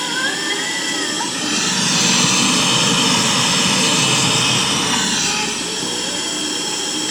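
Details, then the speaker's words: Late-1960s Japanese Concord F400 stereo portable cassette recorder on playback: heavy steady hiss on one channel only, blamed on a bad germanium transistor in the front end right after the head; faulty preamp transistor. "That's a bad germanium transistor, and that's got to be right in the front end, right after the head probably, because this side doesn't have it."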